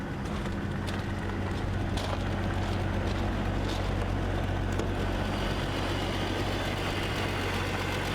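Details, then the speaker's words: 2003 BMW E46 330Ci automatic with 155,700 miles and a small radiator leak, transmission later found bad: starts right up to a steady, low idle hum with an even beat, no knocks or misses; normal idle. "I mean, it starts right up. Like I said, it runs and drives."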